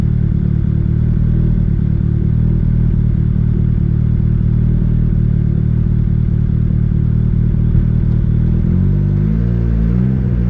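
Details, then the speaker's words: Budget turbo Honda Civic single-cam with new 1500cc injectors, being tuned: idles smooth near 11.8–12.0 AFR, but leaner the low idle turns choppy with dropped pulses; lean misfire, owner unsure whether something else is wrong. "but anytime I start going leaner than that, this thing just wants to start missing and it sounds kind of choppy and just to me doesn't sound good."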